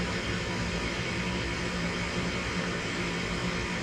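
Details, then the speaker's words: Comfort Air KG7SA-054C23A1 gas furnace, comparison unit of the same model: on a heat call the inducer starts, pressure switch closes, short wait, then igniter glows and it lights; steady even inducer whoosh, faint hum, no rattles; normal startup. "if i turn my furnace on there's a call for you upstairs this turns on and then the pressure switch closes and then it kind of waits for a little bit and then you'll hear a really good lighting and relays for the plumbing"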